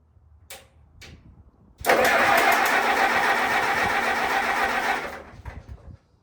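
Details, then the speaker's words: 1952 Case DC tractor, unstarted about 6 months, cold start at about 42°F: cold engine catches quickly and settles into an even, steady chug with no knocks or misses; a healthy cold start. "So this will be a cold start. It's 42 degrees or something right now."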